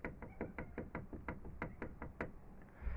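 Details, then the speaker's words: Car knocking that seemed to come from inside the dashboard while driving at speed; sharp, fairly even knocks at about five a second, then they stop, traced to a loose hood tapping near the windshield. "а потом только понял что стучит не внутри Торпеда стучит возле лобового стекла в моем случае это капот"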